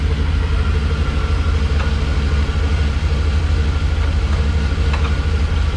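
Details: Rock crawler in gear after Trail Hero, transmission overheated: deep steady engine rumble with faint gritty grinding underneath from worn driveshaft carrier bearing.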